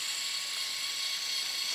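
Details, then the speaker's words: Axial Capra 1.9 4WS Unlimited RC crawler on dirt, Fusion SE 1200 motor, 14-tooth pinion, full throttle: high steady whine with no clicks or grinding; normal motor and gear whine. "Voilà, là je suis à fond avec le pignon de 14 et je verrai sur la vidéo, mais j'ai l'impression qu'il fait moins de"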